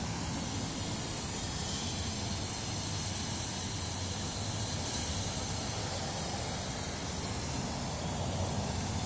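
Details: Ford Explorer (owner notes timing chain noise) overheating: steady, loud hiss of escaping steam with no engine rhythm, coolant venting; burn mark on the hood center, new wet spots on ground; thermostat and housing later replaced; steam hiss from overheating engine.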